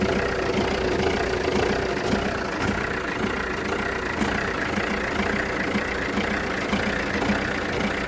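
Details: Jeep Renegade 1.6 Multijet diesel, 177,000 km, misfiring at idle after 3-4 minutes: an uneven beat with periodic stumbles. No check-engine light or smoke, it clears when warm, exhaust smell slightly increased; owner wonders about O2, MAF or injector.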